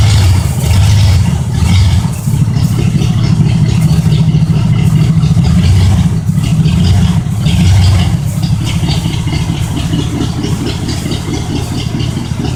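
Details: 1972 Oldsmobile 98, 455 big-block V8, cold start: deep steady rumble with even firing plus a loose rattle from a vibrating part that sounds like knocking; engine itself runs fine.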